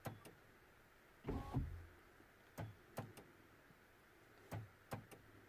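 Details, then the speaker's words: Vauxhall Meriva not locking front and rear: short sharp clicks and clunks from the door lock motors as it locks, while one lock makes no noise whatsoever. "however when I do lock I can hear that sort of noise inside the locks but nothing on this lock so this lock is definitely not making any noise whatsoever"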